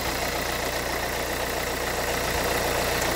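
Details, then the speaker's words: 2011 Renault Kangoo 1.5 dCi 86 hp, under 100,000 km, Delphi injection pump with air/foam in the fuel line: warm idle with a steady hard knock near four beats a second, rougher than normal. Glow plugs have been replaced and the preheat relay works; owner suspects an injection pump defect (metal filings). "trop rassurant, pardon, je veux dire. Voilà, là on voit bien la pompe des filles. Hein. Voilà. On entend le bruit qu'elle fait."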